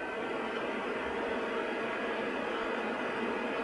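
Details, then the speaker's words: PC with a Ryzen R7 1700 overclocked to 3.9 GHz at 1.325 V, cooled by a Deepcool Gammaxx 400 with dual fans, in a quiet room. Fans ramping through about 50–70% speed give an even airy whoosh with no rattle, grinding or ticking. Normal fan noise. "we're starting to hear the fan now 50 you can definitely hear them moving"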